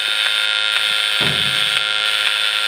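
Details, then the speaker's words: Cheap Chinese PWM solar charge controller heard via a radio receiver, clicking about four times a second: normal switching during bulk/full charge with an inverter load drawing the batteries down; no clicking when floating; extra hash probably from the modified square-wave inverter. "unless it's actually on full charge mode and bulk charge or whatever it won't do it when it's floating"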